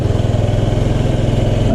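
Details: 2005 Honda Metropolitan scooter after its bad fuel pump and filter were replaced: the single-cylinder engine idles with quick, even putts, about thirteen a second, steady and smooth with no stumbling. Normal idle.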